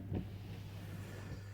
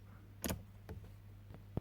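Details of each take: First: Jaguar X300 4.0 six-cylinder after wiper fault repair: quiet steady low motor hum with soft clunk at start of sweep; wiper now working normally, washer warning light still on though fluid is full. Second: Jaguar X300 4.0 six-cylinder, wipers dead though washer works and fuse tested good: sharp relay clacks in quiet cabin when wiper stalk is operated, no motor hum follows; relay clicks but wiper motor does not run.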